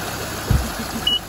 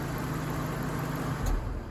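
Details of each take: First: Infiniti M45 at idle with AC switched on to force the fan control module: steady, even rush of air as both cooling fans spin; fans running normally. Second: Infiniti M45 with the engine idling: cooling fans roar at full speed straight from startup and stay on high though the temperature gauge looks okay; the fan control module has failed.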